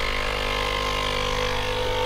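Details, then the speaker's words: Nespresso U coffee machine that leaked from the pulse dampener ends, pump test without a capsule: steady even pump hum, no sputter or surging; water flows and no leak, O-rings appear to be the cause. "there you go water's coming out and it doesn't appear to be leaking here so it looks like it's just 4y O-rings"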